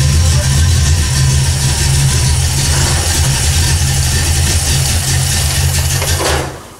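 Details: 1979 AMC Spirit AMX, carbureted AMC 304 V8 rebuilt about 20,000 miles ago, idling after a Carb Cheater install and reconnected coil wires: low, steady throb with even pulse, no misses or knocks, fading at end. Engine idling fine.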